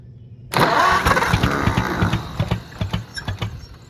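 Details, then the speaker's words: Oliver 70 tractor cranking on a 6-volt starter with throttle open: uneven cranking with occasional catches, seemingly on only a couple of cylinders, never running on its own; it won't start, cause unconfirmed. "et sounds like it's only trying to hit on like two but has all the throttle oh there's so much just go starter still cool to the touch we only hitting on a couple cylinders or what"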